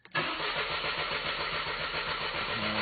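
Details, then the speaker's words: Mercedes C220 with prior cylinder 3 misfire, died on highway, half tank showing: starter cranks fast and evenly but engine never catches, no fuel pump hum heard; suspected fuel supply problem, not confirmed. "nothing not a kick nothing nothing nothing"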